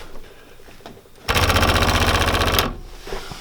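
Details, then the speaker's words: 2005 Polaris Ranger 500 UTV: harsh rapid buzz of about four pulses a second starts, holds a second and stops; owner suspects the electric fuel pump is failing, not confirmed; fuel pump buzzing. "the fuel pump makes a weird noise ready they didn't seem alarmed about that so maybe it's been doing it for a while but to me it sounds like the fuel pumps out"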